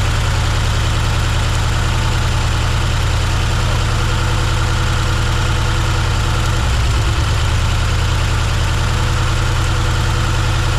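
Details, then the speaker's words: 1971 Chevrolet C10 V8 on first start, before cam break-in, temporary fuel line: lumpy, loping idle with missing pulses, dead on three cylinders (2, 4, 6 low compression), lifters possibly not set or pumped up, oil pouring out somewhere. "dead on three number three no it's dead on three three cylinders yeah and it's got oil pouring out of something"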